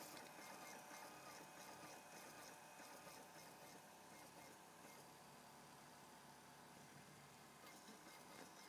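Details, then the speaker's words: PS2 console disc drive while loading a game: faint steady spinning whir with a light scratchy rasp about four times a second; owner believes the ribbon cable is scraping against the disc. Disc drive scraping noise. "i can definitely hear the room cable scraping against the disk definitely guys"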